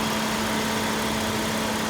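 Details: 2008 Kia Rondo V6 after AC compressor replacement for broken pulley: engine idles smoothly with new compressor engaged, one steady even hum, no rattle, squeal or grinding; normal AC compressor operation.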